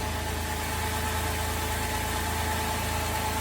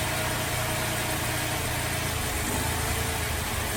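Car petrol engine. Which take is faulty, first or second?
second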